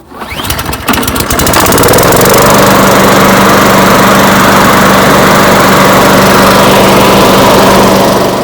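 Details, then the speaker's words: Walk-behind mower after a spark plug change, previously running very roughly: pull-start catches, then settles into a steady, even buzzing run with no stumbles or surging; normal running. "Just turn it on, prime it up. This mower was running a bit roughly before that, so I thought I'd just see how it goes."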